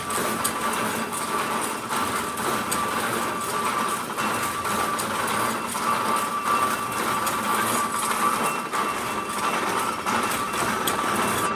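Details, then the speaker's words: Spool Axminster carpet loom with 288 spools running: loud steady mechanical clatter with fast even beats and a faint whistle, running normally with no odd knocks. "now i'm going to switch the loom on you can hear how noisy it is multiply that by 80 to 90 and you'll see what we had to put up with okay"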